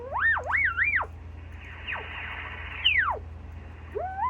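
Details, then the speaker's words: Yaesu FT-101 transceiver, calibrator marker (signal generator) feeding receiver: clean whistle sliding in pitch as the dial passes the marker, low hum beneath; normal marker tone, receiver working. "It also has one on the 25 for every 25 megahertz. And you can set it up on one of these other modes to actually get a pretty good tone if you want to hear the tone."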